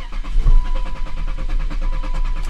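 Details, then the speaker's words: BMW M52 single-VANOS (E36/E39) that won't start, fuel smelled while cranking: the starter cranks at a steady, even rhythm but the engine never fires. Owner suspects the crankshaft or cam sensor. Crank, no start. "So once you check for the bad fuel pump, you can tell by the way this thing cranks, or I can tell by the way it cranks, it's probably something with the crank sensor or the cam sensor."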